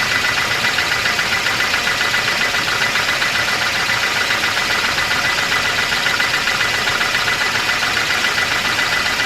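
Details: 1988 Volvo 240 GL: steady idle with a sharp regular knock about four per second; most likely piston slap (suspected), otherwise engine runs fine.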